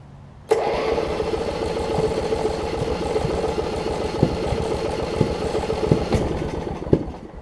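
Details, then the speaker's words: 1981 Snapper RER rear-engine riding mower with water in fuel: catches and sputters unevenly with sharp pops about once a second; misfire from water on spark plug. "got some water on the plug let me clean the plug off real quick that should solve ur issue because I can hear it trying to pop pop pop pop"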